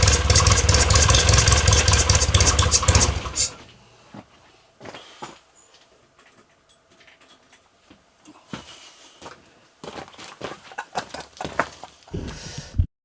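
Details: 1962 Austin-Healey Sprite Mk2, 948 cc engine, first start in over 40 years after sitting on blocks: it runs strong and even for a few seconds, then shuts off, leaving quiet clicks and handling sounds. Normal running.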